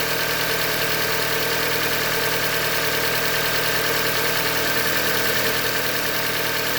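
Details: 2015 Hyundai Elantra Limited, 91,000 km, idling: dull, fairly regular knock through the engine noise at steady idle, bottom-end knock from short block failure, a Hyundai manufacturing defect.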